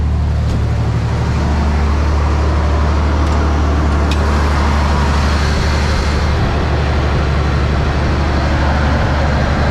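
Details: Toyota with about 290,000 miles after fitting a replacement OEM part: deep, even engine drone holding a steady beat with no knocks, ticks or squeals over faint traffic; runs clean and healthy.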